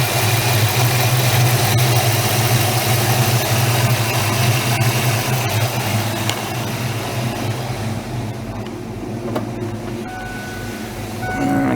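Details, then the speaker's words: 1994 Mustang V8 idling cold after a new serpentine belt install, underdrive pulleys on alternator, water pump and crank: smooth, even low rumble with no squeal or chirp from the belt. Normal idle. "it too much your engine's pretty cold right so it sounds fine to me"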